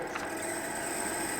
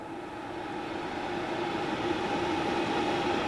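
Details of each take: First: RadonAway RP145C radon fan pulled from a house, running with airflow: steady rushing with a gritty rattle and thin high whine as worn bearings get loud; in service it later stopped and seized. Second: RadonAway RP145 radon fan running normally: steady smooth rush of airflow with a soft even hum, no grinding, squeak or rattle from the bearings, unlike the failed fans.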